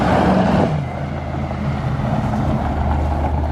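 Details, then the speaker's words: Supercharged Ford Crown Victoria with a 5-speed swap, after replacing an arcing coil pack and correcting a backwards-mounted MAF pipe: a brief rev drops to a deep, steady, even idle with no stumble or popping; misfire gone, normal idle. "what sounds like it's way better we found a cool pack that was arcing and we replaced that"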